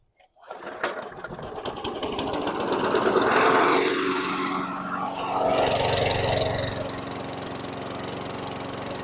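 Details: 2008 WeedEater 22" mower, Briggs & Stratton 500 series 158cc (10T50), flooded under six feet of water, after maintenance: pull-start catches, steady even buzz at constant speed, still smoking from oil that poured out the muffler; running normally.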